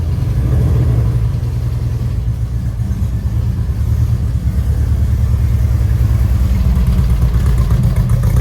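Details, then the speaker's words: 1952 VW Split Zwitter bus with newly fitted 1904cc stroker flat-four (74mm crank, 90.5mm pistons, up from 1641cc), valve adjustment still pending: catches quickly and settles into a steady, even low rumble with no knocks or misses; starts and idles healthy. "That thing is just working really, really good."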